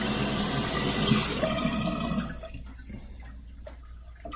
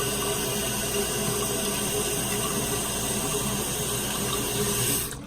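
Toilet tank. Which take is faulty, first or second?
first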